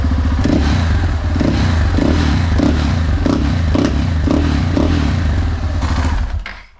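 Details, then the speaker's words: Crashed motorcycle under repair, first run after long storage on German fuel of unknown age. A steady, low idle beat that stumbles now and then; slight intermittent misfire, which the owner suspects is due to the old fuel. "Radi kao sat. I čuje se baba roga. Ima malo neki prekid, ali ko zna koliko je to gorivo u njemu"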